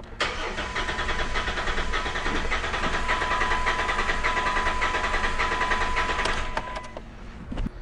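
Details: 2008 Mitsubishi Raider, bogging with misfire codes P0301/P0300, cranking during a relative compression test: uneven starter beat of about 100 a minute, one stroke lighter than the rest; weak cylinder from a collapsed valve spring.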